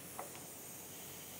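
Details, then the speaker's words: New Vintage Air front-runner AC coil, caps removed from the lines: short pop, then a soft hiss that quickly fades as shipping pressure bleeds off; normal. "you can hear it hissing it's it's a tag on it says coil coil lines are under pressure please remove caps carefully i can hear the pressure bleed out of it"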